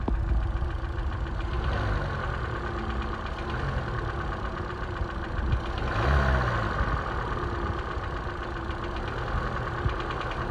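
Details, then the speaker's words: 2013 Hyundai Elantra 1.8L petrol engine idling: faint light knock under the running noise that buyers often miss, piston slap; piston slap knock at idle. "to show you the 1.8 liter Hyundai engine that has that slight knock that most people miss when they go and buy these cars."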